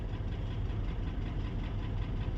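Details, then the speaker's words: Mercedes-Benz GL450 V8 with exhaust smoke, codes for random/multiple misfire on cylinders 2, 4, 7, ignition coil and intake runner: low uneven stumbling idle, misfire traced to a fuel-soaked spark plug. "So guys, let's go. The car is rustling, misfiring."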